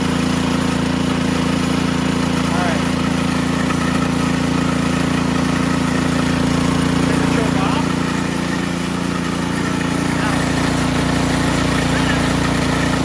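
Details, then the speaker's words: Ariens Sno-Tek 24-inch snowblower, model 920402, 208cc engine, augers disengaged: steady even drone with no clunks or rattles from the drive; normal smooth running. "watch how smooth this is"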